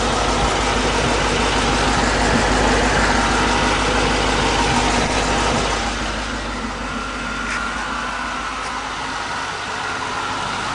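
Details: 2002 Mustang GT 4.6 V8, second engine with 10,000 miles, stock except UPR off-road X-pipe and Roush side exhaust, idling: steady rumble with faint regular pulsing noise from under the car, cause unknown.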